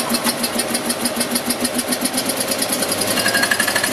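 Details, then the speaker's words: Invacar engine first start after 14 years abandoned in a field, other engines running nearby: uneven chuffing about four times a second, struggling to keep running with only one cylinder firing; owner suspects fuel not getting through, running only on poured-in fuel. "One cylinder definitely firing. Oh, she wants to live. She wants to live."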